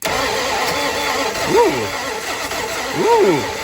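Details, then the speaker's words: 1970 Dodge Dart Swinger 360 V8, long dead, seized and full of rainwater, freed up, Marvel oil added to six cylinders, sticky intake valve; steady cranking with two brief catches rising in pitch then fading; partial combustion while cranking. "Ah, that is something approaching combustion."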